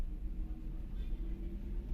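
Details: Computer power supply (PSU) fan: low steady rumbling drone with faint hum on top; noise stops when the fan is held still, showing a worn fan bearing.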